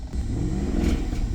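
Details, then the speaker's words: BMW 550i twin-turbo V8 (N63), bought non-running and revived by replacing two 30 amp ignition coil fuses, revs with lumpy stumbling rumble, running rich, blue smoke: burning oil and probably misfiring. "So, it's definitely burning some oil and it's probably misfiring."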